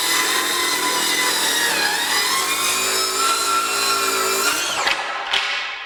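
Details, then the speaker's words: Craftsman V20 brushless 7-1/4" circular saw CMCS550B with 6 Ah battery ripping 1/2 inch off a 2x4: steady high blade whine holding speed, no bogging or cutout, then spin-down; runs easier than with 2 Ah battery, which cut out. "Much easier, works better, a little"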